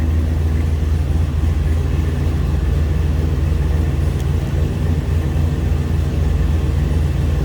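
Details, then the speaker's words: 1972 Chevrolet K10 4x4, custom-built 408 cubic inch LQ9 LS V8 with 4L80E automatic and 2400 stall converter, heard at the rear: deep, steady rumble with even idle lope, no ticks or knocks; healthy engine. "Again, 408 cubic inch LQ9 LS engine, custom built."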